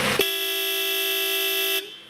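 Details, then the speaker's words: 1991 Mercedes S-Class Town & Country horn on its alternate setting, chosen by a center-console switch (country/city notes): a loud, steady, bright single note held about 1.5 seconds. The horn works normally. "theory here is that one horn is for the country or on the country roads distances are longer and so you need the horn to project more"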